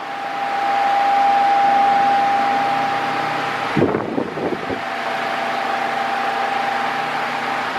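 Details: Mondial Maxi Power 40cm 140W V-40-B fan, new, oscillating at maximum speed: a steady electric hum with a thin whine near 800 Hz and airflow rush, briefly broken by handling. The owner finds the motor too noisy, even on minimum.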